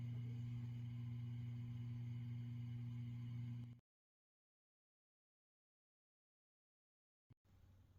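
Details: Peavey Classic 30 II valve amp with JJ valves: 3–5 minutes after warm-up and standby on, a loud, constant low buzzy hum sounds, then cuts out. PCB flux residue was found on disassembly: valve amplifier mains hum.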